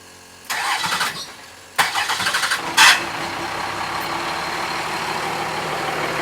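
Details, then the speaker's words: First-gen 12-valve Cummins truck after fitting billet parts, throttle linkage and intake clamp changes, earlier dead battery: two short cranking bursts before it catches on the third try, then a steady idle; new hard starting, cause unknown. "I was able to start it up, but I really don't know why, but sometimes it sounds like it's having a little hard time starting up."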